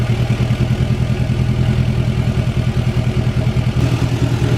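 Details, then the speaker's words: 2020 Duramax L5P diesel truck, first start after ECM tune, exhaust out of the downpipe only: deep steady diesel clatter at even idle, no misses or knocks; running good, no issues. "got her started up. Running pretty good, no issues. Started right up too, which I always do."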